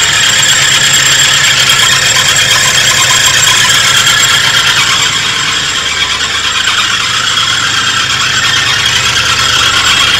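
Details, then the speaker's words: 1983 Oldsmobile Delta 88 Royale, started after fitting new caps: immediate start, steady high-pitched squeal over the idle with a faint rattle underneath, from a belt-drive pulley; owner suspects the alternator, not confirmed. "okay here we go well it starts up immediately now and at least idle sounds like it might be the alternator"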